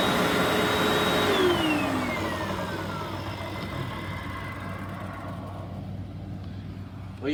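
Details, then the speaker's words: Hoover WindTunnel 3 Rewind Pet Pro upright vacuum, missing its turbo brush and needing cleaning: steady motor whine, pitch sliding down, no brush beat; the extremely stretched drive belt needs replacing. "uum number one needed a new belt because the old one was extremely stretched out and number two it needs to be cleaned out it's missing a turbo brush"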